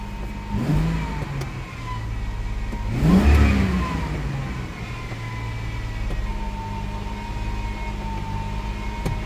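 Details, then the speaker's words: 1998 Ford Explorer, sat five years, fresh oil and fluids: engine hangs at a steady fast idle stuck near 2,000 rpm with a brief rev, not settling; cause unknown, later research points to idle air control valve. "Why are the RPMs stuck on 2,000? If you got any thoughts on that, leave a comment below, because I'm not quite sure what would cause the RPMs to go that high right now."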